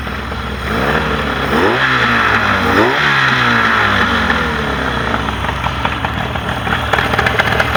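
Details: Mercury 40HP outboard on a Tracker Pro Crappie 175, earlier no-start was user error: fires and revs cleanly, pitch rising and falling smoothly with throttle, no misses or knocks; running healthy.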